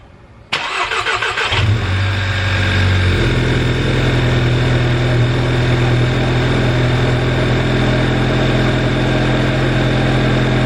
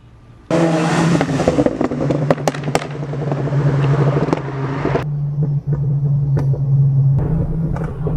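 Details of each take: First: VW GTI MK6 at about 140k miles, cold start after maintenance and an exhaust leak repair: the starter cranks briefly, the engine catches cleanly and settles into a smooth steady idle with a short rev. No leak smell; healthy start. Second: VW GTI MK6 at 140k miles pulling at full throttle: sharp irregular pops and bangs over the exhaust roar, with two sounds from underneath; a worn-out exhaust gasket with stripped layers was leaking and getting worse.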